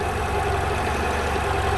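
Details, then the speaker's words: 1990 Honda Accord at idle, with only 12.8 V and no charging until the harness is wiggled: a faint rise and fall in engine load as charging cuts in and out. There is a bad connection at the alternator plug or harness. "see that drop down you can even hear the load changing on the alternator on the engine just by wiggling it around so I have to figure out clearly there's a bad connection in here"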